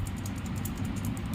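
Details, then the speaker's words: Godrej fridge compressor start relay, removed because the compressor would not run, overheated, and the relay showed no continuity: shaking it gives a fast, light tinny rattle from loose pieces inside, meaning the relay has failed. "இப்படி ஆட்டும்போது ஒரு மைல்டா ஒரு sound கலகலன்னு கேட்கும் இந்த மாதிரி கேட்டாலே உங்களுக்கு இந்த ரிலே கம்ப்ளைன்ட் ஆயிடுச்சுன்னு அர்த்தம்"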